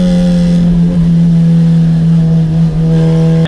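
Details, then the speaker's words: Turbo Honda Civic EG drag car, stock-internal B18C1, road course session two at high speed through turns eight and nine: steady high-rev drone wavers then drops sharply as power cuts; fuel starvation from failing fuel pump. "during my best lap with session two the car cut going through turns eight and nine"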